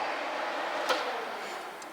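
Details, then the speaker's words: Nissan 240SX with swapped 2JZ-GE VVTi, wiring being finished: electric cooling fans heard running, steady airy whoosh with soft click; normal cooling fan operation. "you can hear the pump probably where it's running but I got to figure out how I want which way I want to configure my switch but you can hear the fans"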